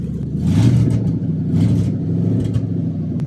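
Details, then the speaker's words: Stolen and recovered 2007 Ford Crown Victoria Police Interceptor, 186,000 miles, catalytic converters stolen: loud, deep, raspy unmuffled roar swelling with each rev; open exhaust from removed converters, motor not blown. "all right so we're gonna try adding extra juice all right cross your fingers hopefully it doesn't explode yeah should it definitely should when they steal the converters"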